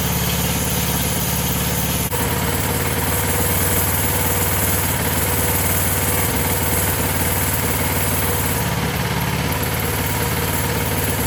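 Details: Coleman CT200 minibike with Predator 212cc engine, new VM22 aftermarket carb, new clutch and jackshaft chain: small single fires up and settles into an even putter with no misfires or surging; clean, healthy idle.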